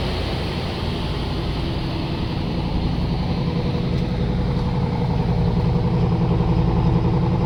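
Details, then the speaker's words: Chevrolet Express van after fuel filter, MAF sensor and lock cylinder change: smooth, steady low rumble with even beat and no misses; all cylinders firing, healthy idle. "That sound is heard when all cylinders are firing. You hear that a lot cars only running on four cylinders in the traffic."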